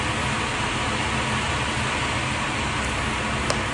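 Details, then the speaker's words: Newly installed Oneida Dust Gorilla dust collector with Nordfab Quick Clamp ductwork, first startup test; loud, steady jet-like roar with no knocks, rattles or pitch changes, fan running smoothly. "So, fire in the hole. Nice. There it goes. Whoa. Sounds like a jet's taking off. It's working."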